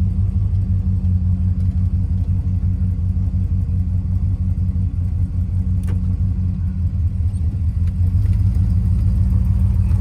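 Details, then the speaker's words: Mopar 383 V8 in a Plymouth Fury, just started: steady rumble, revved slightly, with a faint irregular knock developing; rod knock, engine to be pulled and torn down. "we'll tear it apart but it does run pretty well before it starts knocking"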